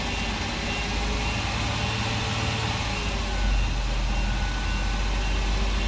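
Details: Workhorse W22/W24 chassis 8.1 Vortec with radiator blocked off, engine at 225°F: steady deep engine hum under loud even rushing air roar as fan clutch locks up late (expected near 205); normal engagement.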